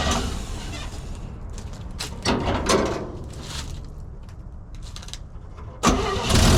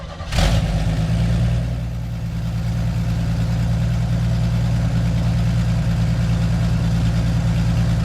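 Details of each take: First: 1965 Chevy C10 carbureted V8 cold start after sitting 6 hours on a chilly day: uneven cranking with stumbling catches and surges before a rough start; no choke and missing accelerator pump. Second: 1965 Chevy C10 cold start at 34°F with new cheap eBay carburetor: catches within a second and settles into a steady, deep, even idle with no stumble or misfire; normal cold start and idle.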